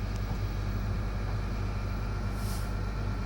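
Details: Truck air brake check at idle: steady idle, then late on a short sharp puff of air hiss as the governor cuts out at 120 PSI, as it should.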